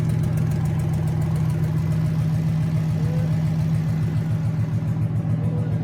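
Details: Junkyard 2009 5.7 Hemi V8, about 80,000 miles, with Hotwire harness and 09 Challenger PCM, idling on a run stand with coolant and fans running, no temperature gauge: deep steady burble, even pulse, no knocks or misses, fan whoosh behind. Normal idle.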